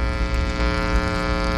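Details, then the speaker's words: Tube amp swappable tone stack in a project case lined with aluminum vent tape shielding: steady low buzzy mains hum with even overtones that drops when grounded and enclosed, rising when uncovered; hum from unshielded circuit. "er now i can touch the ground and hear the hum go down a little bit more what's really cool is these two guys touch pardon the crackle but this is really quiet almost as quiet as the sealed up enclosure like this guy really interesting if i take that off it gets a little bit more noisy"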